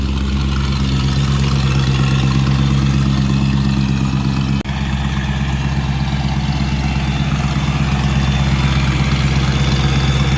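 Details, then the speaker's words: 2003 BMW E39 540iA V8, 170k miles, first cold start after sitting for days: smooth quiet idle, no ticking or knocking, secondary air pump running; slight suspected exhaust leak at headers, otherwise normal. "a couple seconds of warming up just how it sounds super quiet doesn't sound like there's any ticking any knocking nothing"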